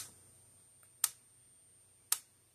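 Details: Blitzer/Zareba 25 Mile fence charger on a tester with 500 ohm load, about 8.7 kV output: crisp snapping pulse about once a second, evenly spaced over a faint high whine; charger firing normally under load.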